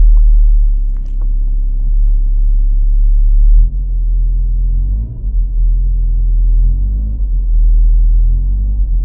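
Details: 1994 VW Golf 3 Variant just after starting on a rebuilt fuel pump: low steady idle rumble with an even beat, no knocks or misses, holding speed smoothly; pump working, normal idle.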